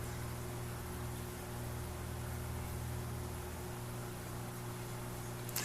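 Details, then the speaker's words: Alita linear air pump for a fish room central air system, placed in another room: only a faint, steady, smooth low hum comes through, nothing rattling; normal quiet running. "as you can see it's very quiet uh I didn't find the pump that loud"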